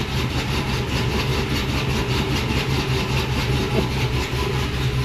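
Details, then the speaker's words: Tahoe V8 with choppy aftermarket cam, tuned, warming up idling in the shop: deep uneven chop about once a second over steady rumble, no knock or tick; healthy lumpy-cam idle, quiet inside the cab. "This thing is ridiculously quiet in the car, but listen. Sure sounds pretty healthy."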